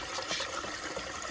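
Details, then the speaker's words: Hydronic boiler heating loop being purged through the circulators, hy-vent automatic air vent suspected faulty: gushing, sputtering water with spitting and bubbles as trapped air works out of the loop. "see it coming out of here. You hear bubbles, but he's spitting, you know."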